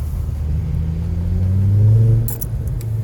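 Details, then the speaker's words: 2011 Volvo C30 T5 R-Design with Simons exhaust, rolling in first gear past a wall: a low droning exhaust rumble with a buzzy rear rattle. The rear muffler is suspected. "I can't really explain it. It's like a buzzing noise, a rattling."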